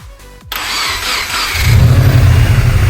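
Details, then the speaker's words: Subaru WRX, first start after full rebuild of a knocking engine: brief crank, then catches first try and settles to a steady even idle with no ticking or knocking; healthy. "That's what I'm flipping talking about. And she's running absolutely smooth. No ticking, no knocking, nothing."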